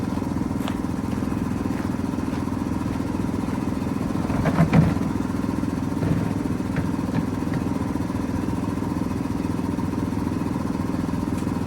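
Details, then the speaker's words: 1973 Mack FR711 with 250C diesel and quad box, fuel primed by hand primer and electric pump: steady starter churn, three to four compression beats a second, never catches; sticky starter valve, little fuel reaching injector pump top. "We got a sticky starter valve, but uh got a little bit of fuel starting to come out of the top of the injector pump."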